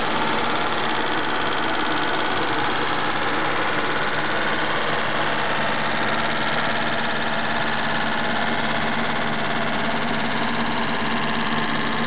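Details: Mitsubishi GTO at idle: a fast, light tick about a couple per second over the engine note; owner suspects lifter tick, unconfirmed, and plans an oil change to Millers 10W-40 fully synthetic.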